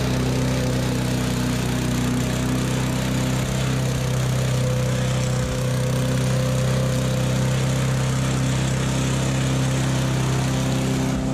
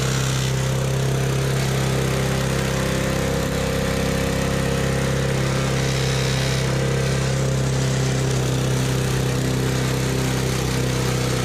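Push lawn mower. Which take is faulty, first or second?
second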